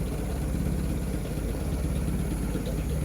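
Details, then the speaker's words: Low, steady inboard idle with an even beat and no tapping or misfire on a 1953 Lyman Islander wooden boat (Gray Marine engine, 6-volt batteries), spring start-up with oil pressure confirmed; engine sounds healthy. "Let it run for a little bit. There we go. Okay, that's it."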